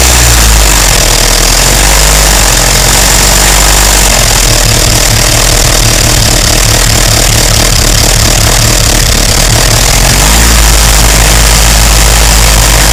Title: Loud engine noise